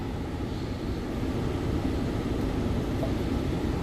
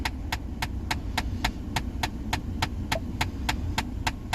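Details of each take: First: 2014 Ford Explorer after replacing a mode blend door actuator whose split case let the gears skip and click: a steady, even blower rush on floor and vent modes with no clicking. Repair successful. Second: 2014 Ford Explorer: steady sharp clicking about 3.5 times a second from behind the dash when switching HVAC vent modes with the key on. The mode blend door actuator's case had split, letting its internal gears skip; fix is replacing the actuator.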